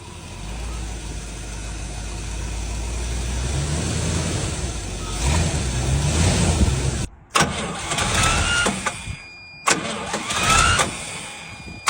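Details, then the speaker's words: 1977 Chevy/GMC C7000 big truck with a brand-new carburetor, not run in almost 12 years: catches and runs with a lumpy, surging drone, nearly dying twice; possibly running on 11-year-old tank fuel, suspected, not confirmed. "I don't quite know what it's running off of unless it's pulling 11y old gas from the tank. This old card does not seem to be loving life."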